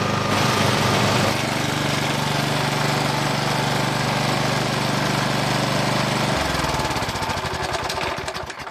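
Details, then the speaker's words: Old Briggs and Stratton lawn mower, small single-cylinder, running on choke with the speed lever at maximum: even low-speed chugging that never revs up; lost power, traced to a bent throttle linkage tab blocking full throttle. "I just can't get any speed out of the thing take the maximum speed it's gonna go and that's on choke"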